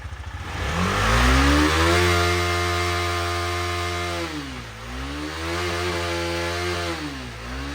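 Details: 2018 KTM Duke 250 left dead for one year, after fully charging the flat battery to 100% with a smart charger. Starts and revs cleanly, rising and falling smoothly through several blips with an even exhaust note: normal running and revving.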